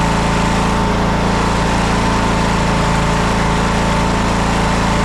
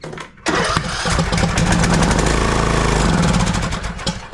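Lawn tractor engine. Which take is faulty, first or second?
second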